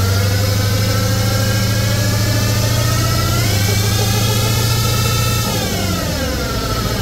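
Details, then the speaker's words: Ford Excursion 7.3 diesel, jacked up with rear wheels spinning after an hour's drive with a loud whine: loud drivetrain drone whose pitch bends with wheel speed; dry, worn rear differential, axle needs replacement. "drove this about an hour home and it was making the craziest like whining noise"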